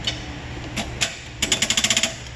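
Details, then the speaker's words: No-start after a new battery: a few isolated clicks, then a fast chatter of sharp clicks with no cranking during a loaded volt drop test; the corroded positive terminal drops voltage, and clamping post to cable lets it fire right up. "prime example of a volt drop test go ahead and attempt to crank it i don't know if you hear that click click click click"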